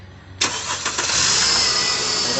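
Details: 2013 Mercedes GLK 350 (W204) that would not crank, after pulling and reseating a 7.5 A fuse in the fuse box: starter catches, engine fires at once and settles into a steady, even idle; normal engine start.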